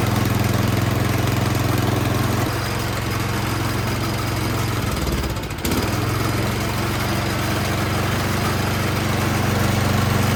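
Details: 24-inch Troy-Bilt snow blower after a fouled spark plug was replaced, choke just turned off: small engine runs unevenly, dropping and picking back up every few seconds; surging from a dirty carburetor, likely running rich.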